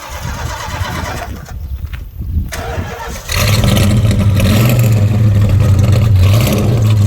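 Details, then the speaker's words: '75 Plymouth Roadrunner, after a carburetor fire: rough uneven cranking and sputter, then catches into a lumpy stumbling idle; backfires and stalls whenever the gas pedal is touched, from an intake manifold vacuum leak. "Every time you touch the gas pedal, it backfires and stalls."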